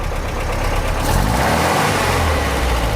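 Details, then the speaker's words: 1955 Porsche 356 Pre-A Speedster flat-four, warm, after carburetor balancing: revs climb cleanly and evenly with no stumble or misfire, picking up power nicely; normal rev response. "up the power really nicely that sounds pretty sweet actually"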